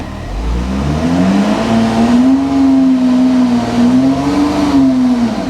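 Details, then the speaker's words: VW Touareg automatic, coolant just refilled, in gear: engine revs to about 3,000 and drones while the car barely moves, later misfiring and limp mode; owner suspects slipping from low gearbox oil. "Very lazy to move unless it's just low on oil in the gearbox. Have to rev it a lot to get it to move. Finally does."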